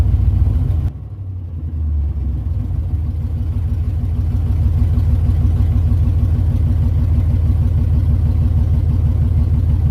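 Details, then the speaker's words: LS 6.0 V8 swap, first start: short crank catches into a steady even V8 burble that idles on its own and can be revved; healthy first start and idle. "well she's alive she is alive okay guys so the video of his starting he does start he does run does idle on its own and I am able to rev it"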